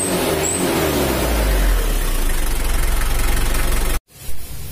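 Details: Mitsubishi L300 diesel emitting thick white smoke, held at 2500–3000 rpm: rough, pulsing, uneven stuttering instead of steady roar; attributed to valve clearance out of spec and air filter clogged by muffler material.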